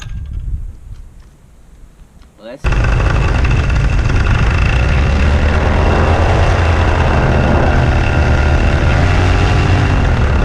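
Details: Hawk 125 two-stroke paramotor after repairing the spark plug cap that had come off the wire, started with the throttle closed: quiet handling, then it catches abruptly and holds a steady, even buzzing drone with no misses; normal running.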